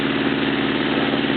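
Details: Honda CB650 warmed up, after carburettor clean and oil change; steady even idle with smooth consistent exhaust note, no knocks or misses, though an unidentified background tick was noted.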